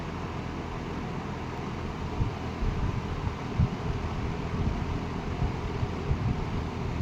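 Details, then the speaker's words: Late-1960s Eskimo 3-speed all-metal box fan on 120 V, medium speed drawing 1.8 A: smooth, steady airflow hum with low rumble and no rattle, tick or bearing growl; running healthy. "1.8 amp on medium then high speed."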